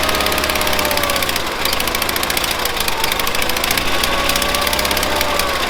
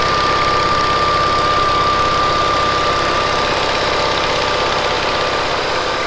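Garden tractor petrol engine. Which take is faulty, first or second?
first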